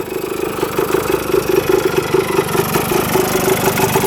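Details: 1977 Kawasaki KE100 two-stroke enduro, revived after 10 years parked, float height reset, running without air filter: crisp, even idle popping at a steady beat with no top-end knock or rattle; engine running healthy.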